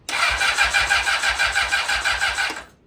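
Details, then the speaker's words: Rebuilt blown-up Honda CBR600RR, first start attempt without coolant, fuel tank temporarily placed; steady fast cranking about three turns a second with no firing, sounds like it isn't getting gas: crank no start (no fuel delivery). "It's giving me an oil wipe and it sounds like it's not getting gas."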